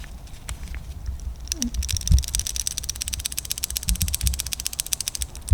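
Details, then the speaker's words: BMW G30 B58 engine's worn camshaft follower, removed and spun by hand close to the microphone: rapid crisp ticking about a dozen clicks a second from a damaged roller bearing, fixed by replacing the follower. "that sound familiar ladies and gentlemen tick tick tick tick tick tick be close to the mic there it is"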